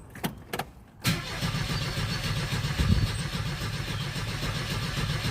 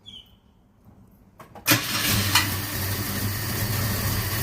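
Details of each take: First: 1977 Ford Escort Mark 2 just brought home: starter cranks the engine at a steady beat for seconds but it never fires; fuel gauge not moving, tank suspected dry. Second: 1977 Ford Escort Mk2 starting after storage, with WD-40 sprayed into the spark plug holes beforehand: a few quiet cranks, then it catches sharply and settles into a steady, even idle while blowing a bit of smoke. Normal start and idle.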